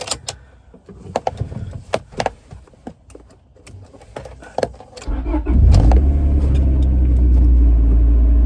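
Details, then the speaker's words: Wrecked 25-year-old Honda, newly reassembled: a few clicks, then engine catches at once and settles into smooth, even idle with 63 psi oil pressure; normal start and idle, warming up. "Low pressure. Nice. Let it idle a minute, get some oil going."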